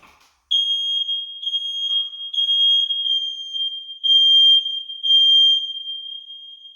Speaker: i lied i that was a smoke detector and didn't set off the carbon monoxide detector